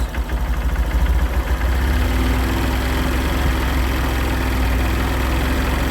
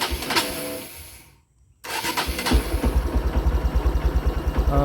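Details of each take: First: Used 2013 Honda Verza single checked before buying, throttle opened gently; low even putter rising smoothly, no knocks or rattles, engine stays smooth. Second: Used motorcycle checked before purchase: starter cranks briefly, pause, then engine catches into an uneven idle; hard starting, suspected weak battery or incorrect air setting needing reset, not confirmed.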